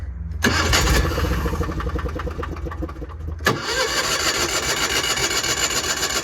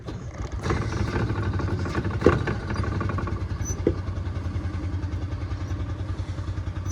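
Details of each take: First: Equipment at a consignment auction, likely the Miller Bobcat 225 welder showing about 1600 hours: a brief crank, then it catches quickly and settles into a steady, even run with no knocks or misses. A healthy start. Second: Small 46cc petrol engine on a water trash pump at auction: uneven low chugging that never settles to clean idle; hard starting, possibly flooded.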